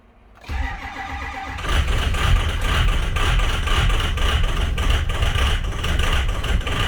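Brief crank, then it catches and settles into an uneven, lumpy diesel clatter; the rough cold start points to bad injectors.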